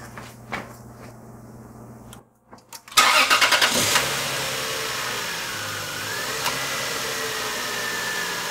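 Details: 2002 Lexus GS300 with the 2JZ-GE engine, started after replacing leaking valve cover gaskets and spark plugs: quiet ticking, a brief crank, then a steady, even idle with no misfire while checking for oil leaks.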